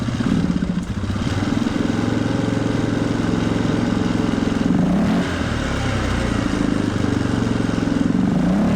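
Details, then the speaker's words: 1997 Polaris Sportsman 500 single-cylinder ATV, cold, choke off, with rebuilt carburetor: idle keeps rising and surging on its own without throttle input; owner suspects an air leak or a throttle issue. "so we've got no choke we're cold and we're idling we're picking up speed for no reason okay"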